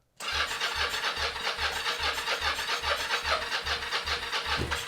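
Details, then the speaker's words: 1983 Yamaha XZ550RK Vision, unused maybe 20 years, starting fluid sprayed into the intake with choke on: steady starter cranking at about two and a half pulses a second with a brief cough near the end. "that is the first time this thing has made noise in maybe 20 years it's ridiculous"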